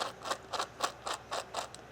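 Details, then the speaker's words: Tamiya Thunder Shot 1987 4WD re-release kit, gears turned by hand during the build: six sharp gritty clicks about one every quarter second, the gear mesh binding from being set too tight before it was reassembled. "Too tight. So, we'll undo it, put it back together and try it again"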